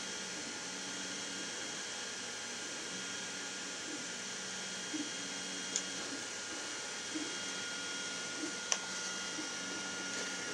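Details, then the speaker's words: Prusa Mini+ with BMG dual-drive extruder upgrade, printing skirt lines: steppers hum and chirp while sharp irregular clicks come from the extruder as it stops extruding; suspected skipping/under-extrusion, not confirmed. "looks like it stopped extruding all right well these are things I gotta figure out you hear that clicking usually when I hear a clicking sound that's not usually a good sign"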